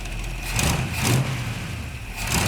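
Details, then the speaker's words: 1975 Chevy C10 V8 at first start, timing just set, oil not yet changed: low, steady, even idle with no misses or knocks; a plug weeps, and the idler pulley freed up and turns without noise. "And then and this idler pulley wasn't turning at first, but it ended up breaking free and starting to spin. It's not making no noise or anything."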